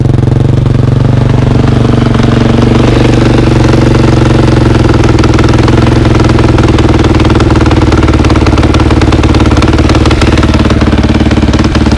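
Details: 2003 KTM 450 after sitting six months, carb drained and fresh gas: steady even idle with firm low thump, no knocks or misses, smooth as it warms; healthy.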